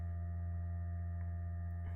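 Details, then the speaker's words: Vauxhall Corsa/Adam with no working ABS and no fault codes. During a diagnostic active test, the ABS pump gives a steady low electric hum with no grinding or stutter, so the pump works. A speed sensor is suspected. "the pump is working so you can hear the the hum from the pump"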